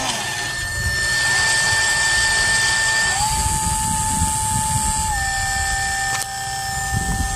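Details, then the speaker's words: Dolphin S 300i robotic pool cleaner, pump motor with cover removed, impeller previously frozen from a seized bearing: clean steady whine that briefly steps in pitch, smooth and free-spinning; pump motor running normally. "just want to show that this impeller is working okay it's last time it was completely Frozen I'm not gonna let it run"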